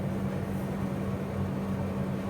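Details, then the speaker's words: New air conditioner outdoor unit, replacing an old one that was very loud, running while cooling: low steady hum with even tone, no rattles or surging; very quiet and normal. "딱요 정도만 들립니다 엄청 조용해졌어요"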